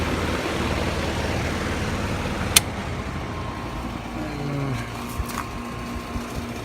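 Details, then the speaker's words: Three-phase HVAC compressor, 17 years 6 months old, running with gauges connected: loud, rough, constant rattle with random sharp clanks under the hum, like aluminum cans shaking inside; internally worn out, replacement to be quoted. "Sounds like somebody's got some aluminum cans in that compressor and they're shaking it for all they're worth."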